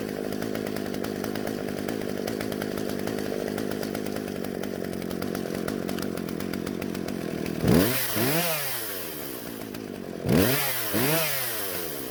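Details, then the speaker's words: Husqvarna chainsaw that wouldn't start, after both carburetor mixture screws turned out slightly for more fuel: steady buzzing idle, then two crisp blips rising and falling cleanly; running normally. "in the end i turned both screws out just a little bit so the carburetor would deliver more fuel to the engine and not stall out"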